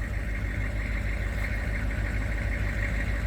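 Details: 1996 K2500 6.5 turbo diesel after fuel line repair and bleeding the air out: steady, even diesel clatter at idle with no stumble or popping; back up and running normally.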